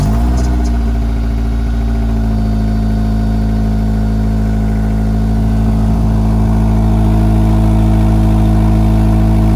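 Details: 2005 Acura RSX with race header and 2.5 in exhaust, just after replacing exhaust and header gaskets: steady smooth idle, deep even exhaust note and clean revs, no ticking or puffing leaks; sounds much better.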